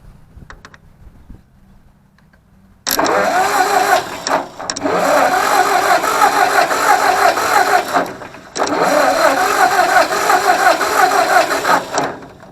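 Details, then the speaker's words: Ford 641 Workmaster tractor, sat at least 10 years: two long stretches of even cranking, about three turns a second, never catching; no spark from dirty ignition points, spark restored after cleaning them again. "nothing all right I went over and cleaned the points again so let's see what happens"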